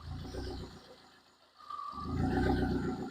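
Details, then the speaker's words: Damaged cheap Vauxhall Corsa project car idling, exhaust open straight after the downpipe: harsh booming exhaust roar that swells as revs rise on their own and drop again in a repeating pattern, "breathing"; loud exhaust from missing system, owner hopes surge is a sensor. "Basically what happens is, when the car's on, it's very loud. It almost breathes. It's like struggling to breathe."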